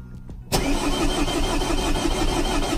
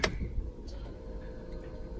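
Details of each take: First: Vauxhall/Opel Corsa D 1.3 diesel after second-hand ECU with swapped EEPROM, no fault codes: starter cranks steadily about four seconds, never fires; fuel pressure present but slow to build, air in fuel rail, injector pipes cracked to bleed. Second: Vauxhall Corsa D 1.3 diesel, original repaired ECU refitted, codes cleared; click at key-on then faint steady hum, fuel pump priming normally, which it did not do with the other ECU.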